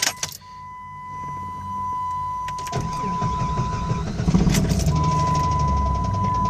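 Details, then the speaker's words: V-engine idling at 40 psi oil pressure, temperature not above 210: loud, regular knock heavier than a lifter tick, started as a lifter noise, fades at higher rpm and slaps on deceleration, seems to come from the engine centre below the intake; cause unknown. "That's a lot louder than a lifter. But this initially started off as a lifter. a cluck. So it kind of goes away at a higher RPM, but as you decelerate, it slaps."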